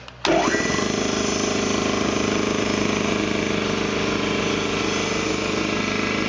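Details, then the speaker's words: Ingersoll Rand T30 2475 upright air compressor, 7.5 hp, 80-gallon tank, set at 175 psi: motor kicks on and settles into a steady, even pumping drone with no hiss or knocking; no air leaks, runs clean and healthy. "now as you can hear there's no air leaks no issues nice clean air compressor"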